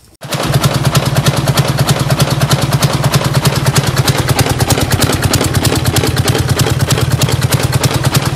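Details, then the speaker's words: Freightliner Cascadia DD15 diesel at idle with a loud, rapid metallic clatter of about three hits a second, which sounds like something broken inside; cause is loose rocker shaft bolts, a cam housing problem. "I don't know what's going on with this engine it sounds very bad sounds like something is broken inside for sure"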